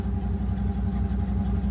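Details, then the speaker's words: Chevy Suburban with 6.5 turbo diesel, just started after a starter replacement, cooler not hooked up: even diesel clatter at steady idle with regular firing and no misses; fired right up, healthy idle. "oh yeah she's mint [ __ ] cooler wasn't hooked up so that's going to boil everywhere that's fine oh yeah she barked right off to life"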